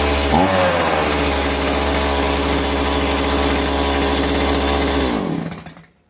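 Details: STIHL MS170C chainsaw, brought in for not starting and an oil tank melted by catalytic exhaust heat, started with the choke before repair: catches and runs at a steady high-pitched buzz for about five seconds, then dies away; starts and runs fine.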